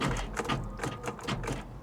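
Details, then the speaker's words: Convertible with 107 miles showing, starting attempt: about half a dozen dull clunks in two seconds with no cranking rhythm, engine sounds locked up; not cranking, cause unconfirmed. "this is weird sometimes it sounds like it tries to crank and other times she sounds like she's locked that doesn't sound good guys"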